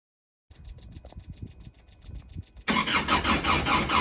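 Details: Kubota M62 tractor cranks but won't start after a regeneration cycle (ran once or twice after regen, then quit); air and fuel filters replaced, fuel bled at water separator, battery fully charged. Starter grinds unevenly, then a loud steady hiss; engine never fires.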